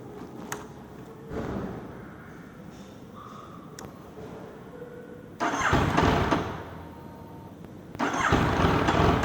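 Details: Yamaha MT-09 hard to start when hot after a 30-minute ride: quiet gaps broken by repeated bursts of cranking that don't catch cleanly, cause not yet found.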